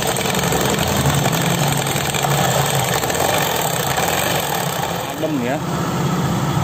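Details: Honda Beat scooter: smooth, even idle with a steady hum and no rattle or grind from the belt drive; CVT sounds normal.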